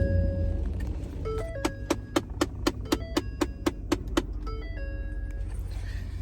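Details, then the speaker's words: 2012 Ford Raptor (Gen 1, common on 2009-14 F-150s) blend door actuator: rapid even clicking about four times a second from behind the dash for several seconds over low idle, sometimes lasting a minute; fixed by replacing the blend doors. "didn't do it very many times this time but sometimes it's like a minute straight sometimes it's one or two so we're going to fix that it's the blend doors"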